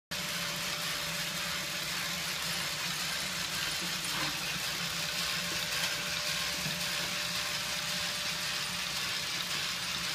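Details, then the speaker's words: Tomy / Radio Shack DustBot toy robot after refurbishment, reassembled with a gear drive that needed extra tension to engage properly: even, steady whir with a faint tone, no ticking; gear train runs smooth as silk. "that was a lot of work but it was fun and it ended up working out great that gear runs smooth as silk in there"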